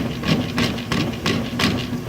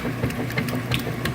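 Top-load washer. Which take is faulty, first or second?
first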